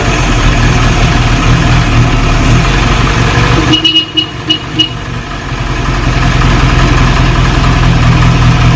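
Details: 1937 Morris 8, 918cc pre-war four-cylinder being recommissioned, just started on choke: steady low beat with a brief stumble at four seconds, then settles evenly; oil pressure about 75 psi, slightly smoky; normal idle.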